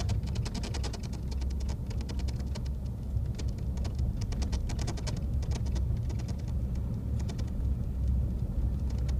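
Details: New 2014 Ford F-150 FX2 SuperCrew 3.5 EcoBoost, heard from the back seat while driving: quick, light, irregular ticking through road rumble; rattle around the window, cause unknown.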